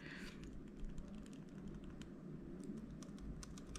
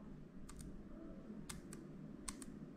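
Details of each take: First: M1 MacBook Air return key after removal and reinstallation for a sticky-key fix: soft dull taps with no rattle or sharp clack, no longer noisy. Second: M1 MacBook Air: three presses of the unrepaired noisy delete key, sharp double clack on each down and up stroke, compared with the now-quiet refitted return key.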